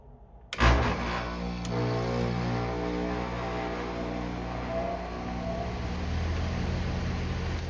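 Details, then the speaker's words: Home AC condenser before fitting a Micro-Air EasyStart Flex soft starter: loud jolt and sharp thump as the compressor kicks on, inrush measured at 86.7 amps, then steady low hum; compressor hard start, sounds normal once running. "All right, so hopefully you could hear that pretty well. It was a pretty loud jolt when that compressor came on."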